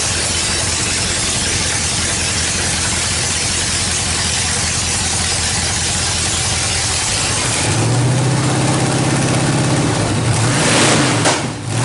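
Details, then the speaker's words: 1931 Ford Coupe hot rod swapped from big block to a stock truck 305 small-block V8, radiator and shroud not yet installed, no headers yet: engine cranks and settles into a fast, lumpy idle with a couple of blips; normal healthy start. "Just a 305 small block, nothing special as far as I know. It's just a stock motor out of a truck. To me it sounds pretty crazy though."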